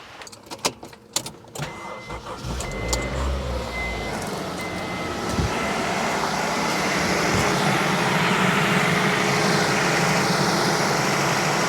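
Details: 1997–2001 Honda CR-V B20 engine just after valve lash adjustment; handling noise, then it cranks, catches and settles into a smooth, even idle with no valve ticking; normal start and idle.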